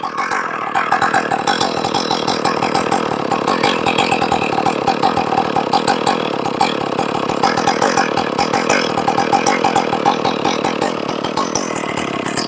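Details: Stihl 461 chainsaw, ported and rebuilt with new Caber rings and a repaired spark plug hole, first run with the carb set close and a dirty air filter: crisp, steady high-revving two-stroke buzz with even firing and clean throttle response; healthy.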